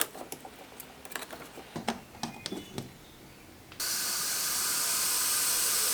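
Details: Porsche 996 Turbo, engine off, intake pressurized with shop air, intake opening plugged with a taped fitting: a few light clicks, then sudden steady loud hiss of escaping air; leak in the pressurized intake, source not yet found.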